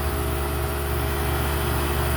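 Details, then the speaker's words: Home AC condenser fan motor, previously seized, patched: steady even hum with a low drone at constant pitch, no scraping or slowing, running smoothly 48 hours later in 105° heat. "but 48 hours later 105° temperatures no problems with it"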